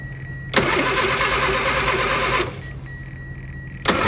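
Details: Austin Mini Cooper: starter spins the engine steadily for about two seconds, stops, then cranks again with no firing at all; cranks but won't start.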